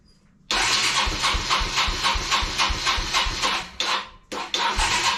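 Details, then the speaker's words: Kawasaki Bayou 220 ATV, sat eight years, after ultrasonic carburetor cleaning and jets blown out: catches and chugs raggedly near four beats a second, stumbles almost to stalling, picks back up; carburetor still clogged, owner blames lack of air/fuel filter. "so that's why you should always have an air filter or a fuel filter so I think this should be the problem here no it's still clogged up"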